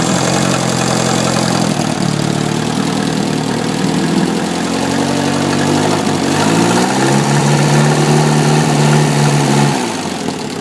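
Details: 1972 Atomic 4 marine gasoline engine, ~1,000 hours, temporary fuel pump: steady, even low idle with smooth hum, revs shift slightly midway then settle, no knocking or bearing noise, 40 psi oil pressure; normal low idle.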